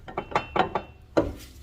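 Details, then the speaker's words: 2004 GMC Envoy inline-6, front raised, old CV axle refitted and front diff refilled with 75W-90 synthetic, axle rocked by hand: sharp irregular clunks; excessive ring-and-pinion play in the front differential. "when I wiggle the CV axle, There's a lot of play on that ring gear. A lot of play on that ring gear going to the pinion."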